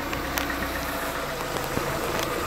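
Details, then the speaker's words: 1996 Honda Accord after replacing a broken harmonic balancer, in hot weather: engine idles with steady even hum and few faint light ticks, running pretty good. "she is running and running pretty good"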